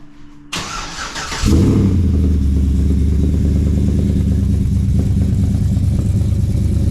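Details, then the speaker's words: 2013 Chevrolet Silverado after 6.2L V8 swap, break-in period, cold start: cranks, catches cleanly, settles into even steady low idle with no knocks or ticks, quiet and holding oil pressure; normal cold start and idle. "I'm not seeing any problems with it so far. It's nice and quiet, holds oil pressure, all that."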